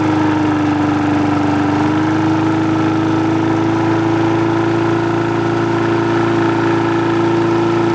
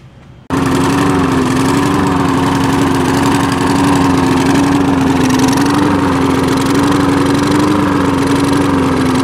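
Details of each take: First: Free push mower that wouldn't start, after the carb was cleaned, its diaphragm and gasket replaced and a spring replaced: a smooth drone, easing up slightly as spring tension raises the RPM, then holding steady with no stumbles or knocks; running healthy. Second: Free push mower that wouldn't start, running after a clogged air filter was dealt with: loud steady note whose pitch drifts up and down every couple of seconds, surging; carburettor needs cleaning.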